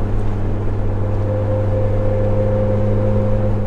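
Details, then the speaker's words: Jeep TJ with a light bar on the roof/windshield, cruising: a steady mid-pitched mosquito-like drone over road noise, wind hum from the light bar that grows louder with speed and stops when slowing. "faster i go the louder it gets [Music] and that also kicks in as well that so you can hear it there i honestly don't know uh yeah i don't know if yours makes the same noise i don't know if yours makes that noise it's like i don't know it's like a mosquito or like a giant mosquito"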